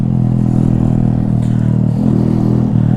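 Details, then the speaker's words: Honda Monkey bike on a long-distance trip: a deep, blatty, very loud exhaust drone pulsing with the engine. The exhaust baffle has blown out, leaving an open-pipe sound. "so now Ashworth is so powerful it's literally just blown the baffle I'll be exhaust so now I've got a screaming eagle sound"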